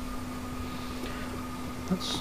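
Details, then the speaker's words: 1UZ turbo with an upgraded fuel system (twin 044 pumps, 3 L surge tank, external regulator), pressure set to 45 psi: a quiet, steady hum with an even whine as fuel flows through the lines. No leaks; the pumps run normally. "So we'll lock the nut off. And we can hear the fuel going through the lines. This all looks good. Can't see any leaks here."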